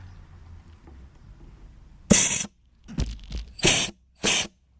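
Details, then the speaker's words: Junkyard 4L80E transmission donor during air checks with compressor off: short hissing bursts, each with a little pop as clutch pistons stroke; seals holding, normal clutch apply, judged good to go. "hear that little pop pop that's the clutch is moving so these are I'm gonna call it good to go"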